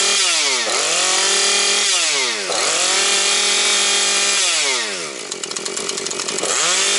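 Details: Husqvarna 130 chainsaw with its replacement carburetor, cutting before it is fully warm and smoking from extra oil in the fuel: it revs up crisply, bogs slightly into the cut and recovers cleanly each time. Runs healthy.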